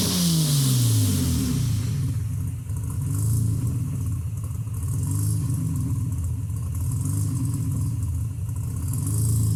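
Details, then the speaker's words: 1987 Nissan 300ZX 2+2 with new 3.5in stainless exhaust, revved to about 3,000 rpm in the garage once warm: deep, slightly raspy note climbing on a blip then settling to an even low rumble, no rattles; normal exhaust. "well, that's pretty good. Not too loud so far. It's just here in the garage, so we'll see what it's like out on the road. But pretty satisfied. It's a little raspy."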